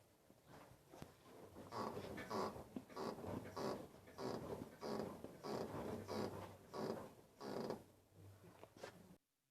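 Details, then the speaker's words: Nissan Tsuru/Sentra: rhythmic creaky squeak, one to two a second, as the car is rocked up and down; also squeaks when turning the steering and over bumps at low speed; seems like a strut mount but is a steering tie rod end with damaged dust boot and dirt inside. "dad pues es bastante molesto el sonido que hace bueno y la razón de este sonido o este rechinido tan molesto diera la impresión que se tratara de algún problema con el amortiguador la base del amortiguador o algo parecido ya que incluso al mover el auto hacia arriba y hacia abajo por rechina igual hace el mismo sonido"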